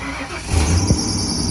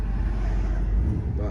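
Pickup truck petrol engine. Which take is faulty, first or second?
first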